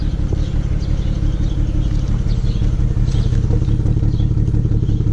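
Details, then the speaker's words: 2008 BMW 335xi coupe on a cold start at 7:30 am. Uneven, lumpy, stumbling idle with a slight injector tick; the scanner reported misfires on coils 4 and 6, which were replaced, and the idle smooths out when warm. Rough idle with misfire. "it does have a small misfire I could hear it a little bit of an injector tick I set your Eiling rough right now"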